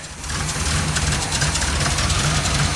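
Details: 1978 Oldsmobile Cutlass 403 V8, still cold at idle after distributor suspected for earlier knock: deep fairly even burble, apparently running on all eight, no knock or tick; runs a lot better.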